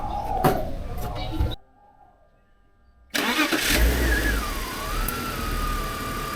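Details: BMW E46 with M52tu straight-six, just after DISA valve replacement: brief crank, quick catch, then smooth settling idle with light whir; starts and runs normally.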